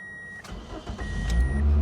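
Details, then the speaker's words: 2003–08 Corolla/Matrix/Vibe just after a starter replacement, test-started with the fan shroud removed. The starter whirs briefly and the engine catches at once, settling into a steady, healthy idle. "but it's a great thing that the car starts really quick now it sounds healthy it sounds good"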